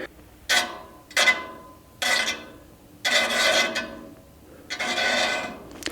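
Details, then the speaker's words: 1300 CFM inline range-hood blower running with an off-center aluminum fan blade on the motor hub: repeated metallic scraping swishes, one per turn, as the blade's wide spot rubs the housing, causing serious vibration; fix is re-centering the blade fasteners. "so because it's rubbing here I know that the wide spot is right here and so you can see the wide spot here and here"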